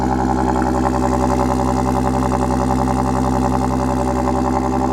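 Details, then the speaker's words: Audi S4 at idle: fast buzzy rattle over the engine note; owner thinks the flex pipes are ruined; Mopar exhaust dampers are the suggested fix. "you'll notice if I turn the car on you hear that rattling I think I may have ruined my flex pipes"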